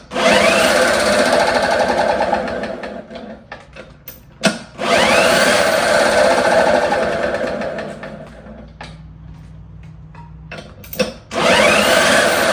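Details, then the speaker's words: 1954 Lawn-Boy RPM 8FH13LB two-stroke mower, dormant 50 years, throttle now controllable, governor-linked throttle worked by hand: buzzy rattle that surges, sags and nearly drops out off choke; runs well choked, poorly unchoked, cause unknown. "So, it runs really well with the choke on, but with the choke off, it's not. I'm not sure what that's about."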